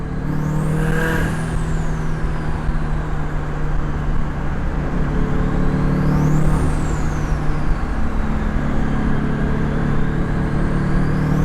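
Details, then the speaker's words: Turbo Scion FR-S with a GTX3076 turbo, CX Racing header, 38mm wastegate and eBay intercooler, pulling on the road at about 12 psi after boost was lowered from 16: deep, loaded drone with turbo whistle rising and falling; normal boost. "so now i'm hitting like 12 pounds sounds good"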